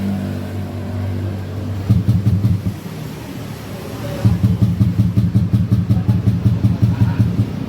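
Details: Yamaha Aerox 155 after a total electrical failure was fixed by repairing a lost fuse-to-ignition-switch feed: quiet, then the starter engages and turns the engine over in quick, even pulses, cranking normally.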